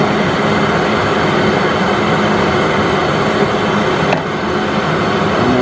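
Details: Worcester Greenstar 38 CDI boiler, annual warranty service, at maximum rate during adjustment on the adjustment screw: loud, even rushing roar with no rattle or wavering; fan running normally at full rate.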